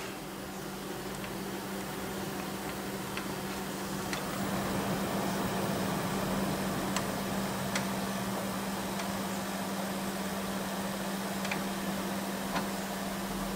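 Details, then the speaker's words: Used desktop PC (MSI motherboard, Corsair DDR3): front case fans set to minimum/0 in fan control still turn very slowly; low steady hum with faint ticks, running normally and quietly. "lui je le mets à 0 ça tourne quand même tout doucement"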